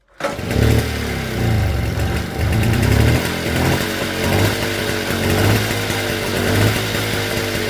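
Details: Motobécane AV42S moped, original setup, after hot-start fault fixed with new complete ignition coil and metal plug cap giving good spark; starts on first pull into steady even two-stroke burble with clean blips, no misfire or rattle; normal running.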